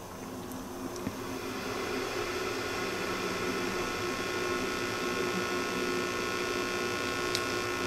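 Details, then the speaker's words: Hissy, rushing whoosh swells as a 12AX7 preamp tube warms up in a microphonic tube analyzer; audible but not detected on the oscilloscope, caused by loose internal elements in the tube. "I can hear it, but the scope did not detect it. Let me see. She's got some loose elements in there."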